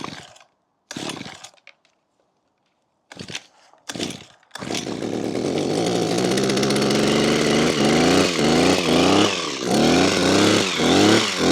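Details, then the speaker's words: Makita petrol two-stroke hedge trimmer, about 15 years old, after replacing perished fuel lines that let air in and caused bogging and cutting out when tilted: after a flood and a few pull-starts it catches, holds steady revs and picks up cleanly on blips. "Oh, so there we have it. A great repair. It's all fixed, working again, which is great news, because these are not cheap."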